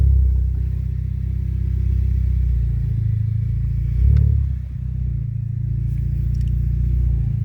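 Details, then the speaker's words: Car with 7-speed DSG DQ200 gearbox after new clutch and adaptation, coolant topped up, pulling away on test drive: deep loud steady exhaust rumble swelling briefly, no knocks or rattles; normal engine running. "This thing sounds good. I can almost imagine with the pops and bangs here how good it sounds."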